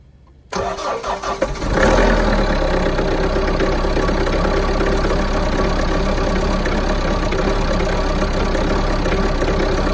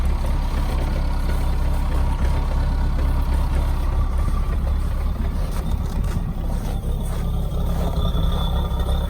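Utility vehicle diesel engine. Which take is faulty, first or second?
first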